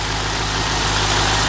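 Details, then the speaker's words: BMW E64 6-Series N62 engine at idle after the cracked oil filter cover lost all its oil and the car was driven 500 yards with zero oil pressure; new oil and filter fitted. Deep, even idle, no knocking or ticking; normal idle. "there we go that sounds lovely by the way that's perfect haven't got any worries about that at all no weird noises or anything"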